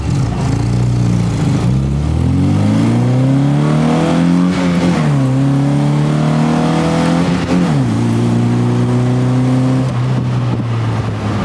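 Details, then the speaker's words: Barn-find 1977 MGB four-cylinder with a stainless exhaust, carb leaned out and idling around 500–700 rpm: it pulls cleanly up through the revs with crisp shifts and a strong, even note, running well. "Not bad, not bad. Sucker rips. Sounds really good too."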